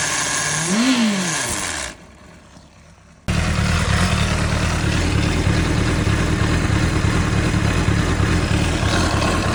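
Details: 2005 Honda CBR600RR: after a rev and a pause it settles to a fast, steady idle with a faint whirring hiss over the exhaust beat; whirring hissing noise, source still unknown.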